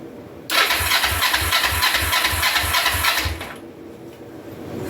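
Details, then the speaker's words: 2004 Kawasaki Vulcan 500 stored two or three years, on choke after waiting for fuel to reach the carbs, some dash plugs unhooked: steady cranking about three strokes a second for three seconds, no firing; cranks but won't start, suspected fuel-starved float bowls. "all right I'm going to pop the screws loose on these float balls and see if I'm getting gas all the way down"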